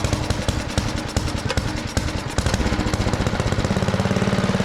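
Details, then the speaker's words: Neighbour's rototiller after carburetor bowl cleaning, started on choke. The single-cylinder engine catches with uneven popping, then settles into a steady chug of about three beats a second. It runs fine; it just needed time to fill the bowl. "at that! Pretty epic. It obviously just needed a little bit of time to fill the bowl up with fuel, sort itself out, but tires are good."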